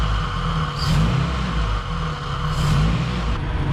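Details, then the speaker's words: Honda Civic EG track car fitted with a new Skunk2 Pro-series intake manifold and 70mm Alpha-series throttle body, no intake on it, idling around 800 rpm, engine still warming up: steady even idle with loud airy suction at the open throttle body; normal. "of course the throttle body is a bit loud there's no intake on it so you can hear it sucking in air look at that idling around 800"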